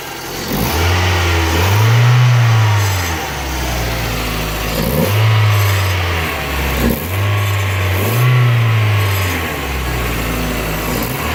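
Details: Mazda Miata with a recently swapped engine, new clutch, throwout and pilot bearings, and a temporary intake: a loose metallic rattle rides on repeated throttle blips from idle, location not yet pinpointed.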